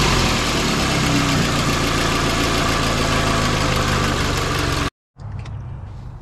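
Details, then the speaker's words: 2007–2009 Toyota Corolla, engine running: quick steady puffing tick about four per second over the idle from a cracked exhaust manifold leaking, a common failure that causes P0420 codes. "am quite certain that that exhaust manifold is cracked now this is not just an isolated problem this is a major problem"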